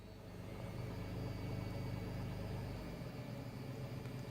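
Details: Tata Altroz petrol engine at idle just after start-up: quiet, steady low idle with an even beat and no knocks or ticks; a normal, healthy idle.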